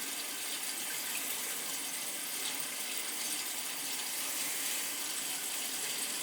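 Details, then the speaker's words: Crown gas boiler (converted from oil, installed 3–4 years ago) being purged: steady rushing water with rough spitting hiss, no pump hum, as trapped air blows out of the upper (third) floor heating zone; possibly a stuck feeder let air in. "oh yeah there's definitely air in this one hear it the upper floor that's where the air is"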